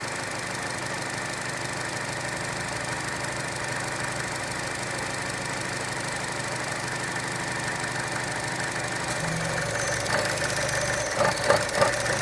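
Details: Gen1 2012 Chevy Cruze 1.4, idling with dipstick out: uneven pulsing about three beats a second with faint tapping over the hum; rough idle, owner suspects failed PCV check valve or valve cover seal after oil sprayed from dipstick tube.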